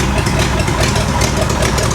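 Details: 1970 International D1000 pickup, abandoned over 20 years, just started cold, charging 14 volts: loud, lumpy, uneven low idle; expected to clean up as it warms.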